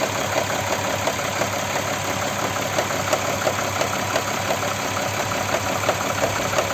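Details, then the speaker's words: Audi Q7 3.6 FSI VR6 engine at idle during warm-up: light regular tapping about three a second, absent cold, growing louder as it warms, vanishing after driving, heard at the rear under the plastic cover; suspected cam phaser. "моё предположение друзья это фазовращатель стучит Вот это характерный стук на неё похоже и она звучит вот в задней части вот под этой пластиковой крышки"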